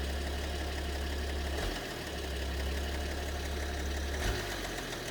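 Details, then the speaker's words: BMW 730d, M57 (306D3) diesel at idle: low rumble with an irregular clatter that fades and returns; possibly two cylinders involved, mysterious knock with cause unknown. "Вот цокот появляется. Может, с двумя цилиндрами даже проблема."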